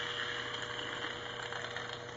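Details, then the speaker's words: Old 1/4-inch Thor electric drill being rebuilt, after cleaning with the old grit and grease removed: bearings spin with a soft, even whirr and steady tone, no gritty scratch or catching as they spin down; bearings run clean and free. "so now i have cleaned everything and you can hear how good the bearings are that they don't have any grit or any old grease in them"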